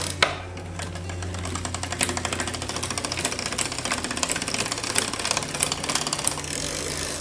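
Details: Canyon Grail CF SL bike spun on a stand during a tune-up after a race crash gives fast steady ticking with some sharper clicks while rear and front derailleur limits and gear indexing are adjusted.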